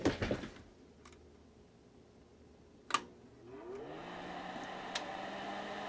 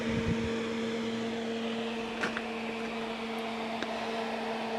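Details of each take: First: Crest Audio V900 PA amplifier, first bench power-up on 240 V, outputs already checked with no DC: quiet hum, sharp relay click out of protection, and a noisy fan spinning up; powers up normally. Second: Crest Audio V900 PA amplifier on 240 volts, first power-up after salvage, outputs showing no DC: steady fan rush with low hum tone, no rattle or scrape; loud but normal cooling fan.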